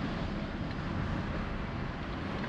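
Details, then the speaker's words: Toyota Prius driven over parking-lot bumps after the steering column was reassembled to fix a dash knock: steady low road and cabin rumble with no clicks, knocks or rattles. "yeah. Nice and quiet, like not one click, rattle, bang, pop, shimmy, nada."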